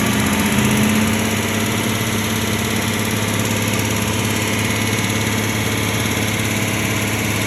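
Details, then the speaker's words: Low-mileage one-owner Aston Martin V8 just serviced at a franchise dealer, driving into the workshop: steady idle with a dull regular knock about three a second, big end bearing failure. "car came here very recently after that purchase and it was in for some work and immediately on driving into the workshop you can hear the engine exhibiting quite a undesirable sound"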